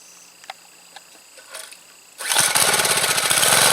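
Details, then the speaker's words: Troy-Bilt Bronco tiller small engine converted to propane, no gasoline connected, needle valve cracked open after it fires: a few faint pulls, then it catches and settles into a steady, even run without misses; normal running. "But once it attempts to start, then I'll slowly start cracking open the needle valve until it picks up and runs at the desired speed I want it to run."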